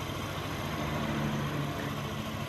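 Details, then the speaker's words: Yamaha VVA scooter engine (NMAX/Aerox/Lexi) after rocker arm and water pump installation, tested before the tank is refitted: smooth even single-cylinder idle, no ticking or knocking; hiss comes from the unconnected vent hose. "Nah, suara mesinnya sekarang sudah halus, teman-teman."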